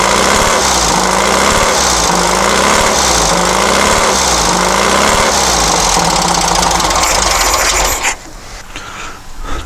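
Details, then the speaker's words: Long-stored dune buggy/sand rail with points ignition: lumpy beat that sags as revs drop, then cuts out, won't hold idle though higher rpm is okay. Suspected debris in the unfiltered fuel system, stale gas or timing. "seems rpm okay but when it comes back down to iowa it wants to fall on its face now i could have more trash in the fuel fuel system there's no filter on here"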